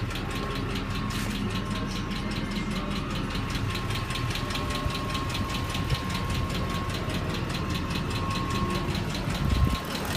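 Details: 2004 Ford F-150 XLT Triton V8, previously running fine, suddenly ticking/knocking: sharp, regular ticking several times a second over a steady low idle. Cause unknown.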